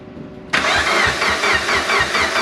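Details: Project car started and run for the first time in almost 10 years after 2 years of work, no blow-off valve fitted: short crank, catches cleanly, settles into an even pulsing idle with no misses.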